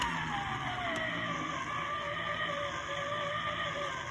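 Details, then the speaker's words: c1964 reel-to-reel tape recorder with a non-original replacement motor: steady whir with gliding tone and gritty growl from the motor gear, after heat shrink tubing was fitted on the gear, growl now not as bad. "got the heat shrink tubing you can see it in there on the gear and let's see if we can still hear the growl when we run them over [Applause] oh not bad not as bad"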